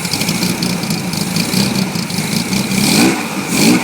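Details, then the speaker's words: 1966 Chevrolet Corvair Monza convertible, 140 HP air-cooled six with dual carbs and louder header-type exhaust, revved: clean loud free-flowing sound, smooth with no knock, tick or smoke; slight hesitation, carbs may need rebuilding or readjusting. "Runs quite smooth. There's a little bit of a hesitation, so the front will probably have to be rebuilt or readjusted."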